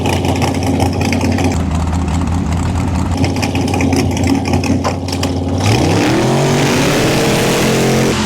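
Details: Drag-race boat with a newly swapped motor, whose grid now has its own power source: a loud, lumpy, crackly idle, then a clean rev that climbs and settles, running strong and even just as it did before.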